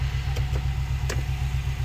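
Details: Subaru Forester with big turbo and stage 2 cams, refitted after fixing head oil leak (loose bolts), battery 13.3 V, throttle 6%: starter cranks steadily, never fires; owner unsure why, may check the timing.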